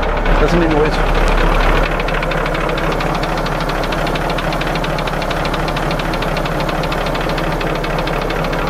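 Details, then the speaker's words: Diesel engine in a large ramp truck at idle after fuel-system bleeding: an even sharp tick at about four per second that disappears when revved off idle. Suspected weak injector or air in the fuel; seemed to improve. "aaron diagnosed that ticking as um as it came off of idle any kind of rev that would go away so he said it sounds like a weak injector"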